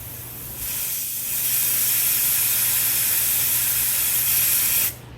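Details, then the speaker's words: 1977 square-body truck AC charging, refrigerant venting with a steady high-pitched hiss for about four seconds after puncturing the can, purging air from the charge line before filling. "Okay, once the can's punctured, you back the valve off, or open it essentially, and then I went ahead and cleared the air out of the line, so it's ready."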